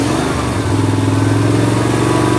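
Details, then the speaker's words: Snapper ZTR mower, 2005, about 1,500 hours, after carburetor replacement: moving the throttle from slow toward fast, the engine revs up and holds a high, steady drone instead of staying low; it runs away on its own. "Now here we're on slow and go to fast. It just wants to go."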